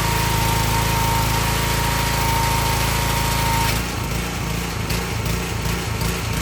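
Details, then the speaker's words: Excel XR2500 pressure washer (DeVilBiss) with 5 hp Honda engine runs perfectly for 10–15 seconds, then sags into a ragged, stumbling misfire, hesitating and cutting out, sometimes stalling or recovering; not the carburetor but a fouled NGK spark plug. "Okay, that's what it's doing. It runs perfect for a little bit and it starts hesitating and cutting out, but uh it either stall or just sometimes it catches itself and runs again."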